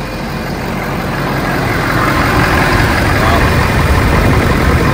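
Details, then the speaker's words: Ford F450 Power Stroke diesel, cold start after new serpentine belt: deep, steady clatter settling into even idle while warming, no belt squeal or chirp; belt spinning fine. Normal idle. "It's spinning. That's all I can ask for. Bottom of the range, but she's cold. Let her warm up a little bit."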